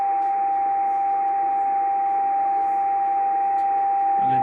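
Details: Yaesu FT950 transceiver powered on with no antennas connected: a clean, constant, very loud mid-pitch tone over faint hiss, present on most bands; internally generated background tone, cause unknown.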